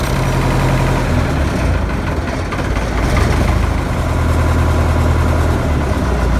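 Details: Leyland diesel tractor idling in neutral after a fuel filter change and bleeding air from the fuel system: steady, even low diesel rumble with no misses or hunting; normal idle with fuel delivery restored.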